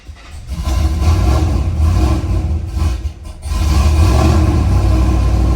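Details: Gen 3 LS engine after a cam swap, running the factory tune with an IAC valve: won't start unaided, then catches on throttle, revs unevenly, dips and nearly dies before idle trims adapt; rough idle from an untuned aggressive cam.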